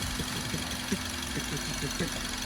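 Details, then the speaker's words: Used 2006 Suzuki Swift automatic, pre-purchase check, engine running: low idle with an even, steady rhythm, no irregular clatter or knocking. An even beat like this means normal. "Dan kita lebih mendengarkan suaranya kalau iramanya rata kayak gini itu berarti normal ya"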